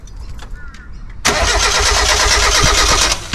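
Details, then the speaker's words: NA Mazda MX-5 Miata cranking but not starting with a broken crank angle sensor: steady starter churn for about two seconds with no firing at all; fixed by replacing the crank angle sensor. "so that's basically what I was doing with the broken crank angle sensors"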